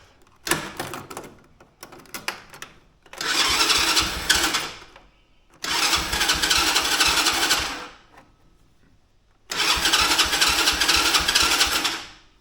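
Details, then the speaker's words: Mini Jeep with a Chinese-quad-type small engine, customer complaint hard starting, choke pulled: three roughly two-second cranking bursts, engine barely catches and dies; starting fluid tried next to check for a fuel issue. Hard starting, cause unconfirmed. "like it's with the choke on it wanted to Let's uh do some starting fluid see if it's a fuel issue easiest thing first"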